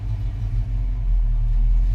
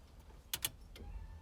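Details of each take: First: 1991 Foxbody Mustang GT V8, first start after Holley Terminator X fuel injection install, timing not yet reset: deep rumble with wandering pitch and uneven pulse; idle not yet settled. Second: 1991 Foxbody Mustang GT with newly installed Holley Terminator X EFI, key-on: two quick relay clicks then a faint steady whir as the fuel pump primes; normal priming.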